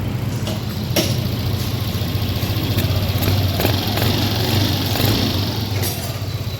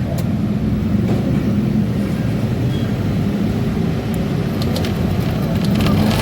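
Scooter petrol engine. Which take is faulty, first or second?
second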